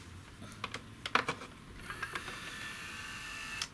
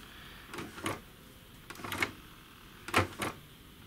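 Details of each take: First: Sony CDP-M26 CD player, power reapplied with laser module wound out: a few light clicks, then thin steady motor whine for about two seconds that stops cleanly; sled motor returns laser home normally. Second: Sony CDP-M26 CD player showing a no-disc error, before repair: short motor whirs with clunks in uneven pairs as the tray mechanism strains and stops. The drawer opens and closes only intermittently and won't close with a disc in.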